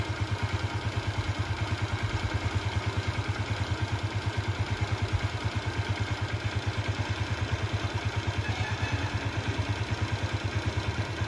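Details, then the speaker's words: Honda Shine/Unicorn motorcycle single after full engine overhaul: steady idle with light even ticking from loose valve clearance, left loose on purpose and to be tightened at next service. "Engine లోపల tick అని sound వస్తుంది కదా friends, అది walls loose ఉంటాయి అనమాట. Walls loose ఉంటే next సర్వీసింగ్లో అయితే tight చేయాలి."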